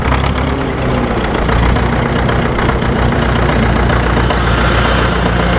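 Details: Caterpillar D4 7U dozer with HT4 Traxcavator loader, rescued from a pasture after many years idle, running after a new starter and solenoid were fitted: steady, loud diesel clatter at an even beat, no stumbles; engine running.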